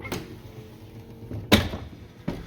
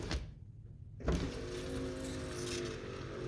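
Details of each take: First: Lincoln Continental front door: faint motor hum then a sharp, heavy clunk as the vent (triangle) window lowers, at the point where the main window starts down; not on the way up; cause unknown. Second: Lincoln Continental front power window after motor removal and torque pin bushing repair: motor hums smooth and fast after a clunk, no binding; normal power window operation.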